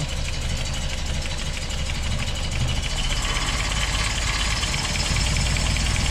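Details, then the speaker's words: 1988 Toyota 22RE after head replacement and new fuel pump: an uneven, shaky idle with irregular low thumps and no steady beat; distributor installed one tooth off, so ignition timing was wrong. "yeah worms here off one two and that's why it was running so rough for us"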